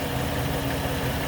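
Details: 2008 Dodge Caravan SE mobility van, 45,642 miles, nearly 12 years old: low, even hum at idle with no knocks, ticks or hunting; idles smoothly, no leaks found, sounds healthy.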